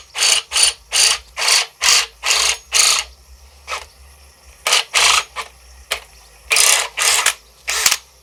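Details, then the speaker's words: New AEG BSB18BL-0 brushless cordless drill: bursts of sharp ratcheting clatter, about two a second, at no load that disappear under light load; owner suspects gearbox backlash and calls it normal for now. "so i'd say there's probably like some kind of adjustment in the gearbox like it's like a no-load kind of thing when there's no load on it makes it but put some light on it it doesn't make the noise"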